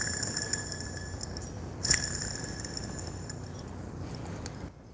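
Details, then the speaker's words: VW Gol AP 1.6, belt tensioner pulley spun by hand: thin gritty high ringing fading as it slows, one tick midway; NSK tensioner bearing damaged, cause of front belt-area noise. "es ist wirklich beschädigt Hören Sie sich das kleine Geräusch an, das hier zu hören ist drin"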